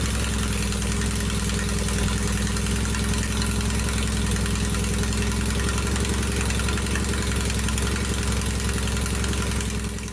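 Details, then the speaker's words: 1969 VW bus idling loud and raspy with a deep, even chuffing pulse, running with only half an exhaust. The J-tubes are not yet fitted, leaving the pipes unsealed; recorded before installing them to hear the improvement. "All right, now before I replace this exhaust, let's just see what this thing sounds like with only half an exhaust."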